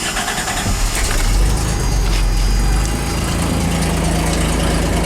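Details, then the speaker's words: Toyota T100 2WD pickup, 3.0 engine, 5-speed manual, about 135,000 miles, no catalytic converter, exhaust exiting behind the door: cold start settles into a steady, loud, deep idle with even beat, no knocks or rattles. "The exhaust comes out behind the door, so unfortunately it's loud, which sucks."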